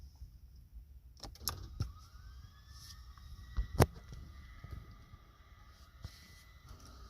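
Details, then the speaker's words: Lexus LS460 with a failed starter, key turned: high whine climbing in pitch and holding, like a jet engine, with no cranking; starter spins but does not turn the engine, needs replacing. "Kind of sounds like a jet engine starting up or something. Zing."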